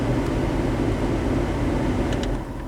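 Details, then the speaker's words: 1997 GMC Savana after an R134a A/C charge, running about 73 minutes at about 90°F outside with 35°F from the vents, fan on low: a steady low blower rush over light engine hum as the compressor cycles on and off. Normal A/C operation. "Anyhow, turn it on low. I can hear the air compressor come on and off."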